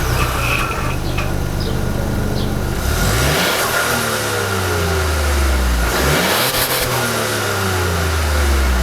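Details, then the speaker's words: Ford Bronco Sport, 1.5L turbocharged three-cylinder, 8-speed automatic, AWD, 4,000 km, heard at the dual exhaust outlets hidden by the bumper (noticeable soot): smooth note rising and falling cleanly through throttle blips, no misses or rattles. Normal exhaust. "There's no real effort to bring it out and make it really throaty and flashy."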